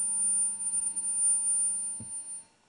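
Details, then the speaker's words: Homemade two-stage electret condenser mic preamp on a 100-ohm current-limiting resistor: steady high whistle over a low hum, holding pitch then dying away; owner thinks it was feedback or a preamp problem, unconfirmed, though it does amplify. "Okay. Well, I think that was feeding back right there. I don't know if you heard that. I can hear a humming."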